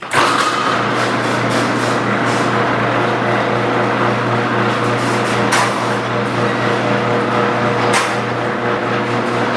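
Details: Garage door with old metal rollers grinding, rattling and clacking over the opener hum, before replacing all 12 rollers with nylon ones.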